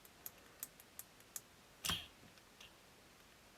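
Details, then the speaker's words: 1976 Astor MF029 flip clock radio motor running on about 10 volts after lubrication, still slow to start. Faint, uneven light ticks about every third of a second, suspected to be the gears clicking in the clock drive. "I think that's the gears making that noise. It's not going to be a smooth turning kind of motor."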